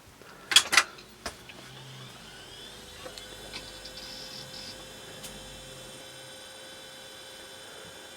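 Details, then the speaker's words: Mid-1990s PC with Intel Celeron 266 MHz, powered on with all cards reinstalled: a few clicks, then soft, steady fan hum with faint whine and no beep code; memory test passes, normal power-on to BIOS. "looking good so far memory test there we go press F1 to resume setup"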